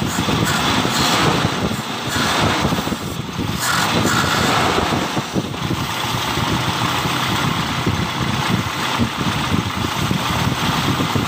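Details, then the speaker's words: 1997 Toyota Kijang Grand 5K petrol, which kept stalling and would not start despite two carburetor replacements, after a new distributor was fitted and vacuum hoses connected, timing being set while running: idle keeps running steadily without stalling, beat slightly uneven under outside noise. "Nah kita menggeserkan nya pada saat posisi mesin hidup ya Jadi pada saat dia hidup kita lakukan untuk menggeser and pada-nya delco nya atau kita setel timing nya menggunakan ini ya"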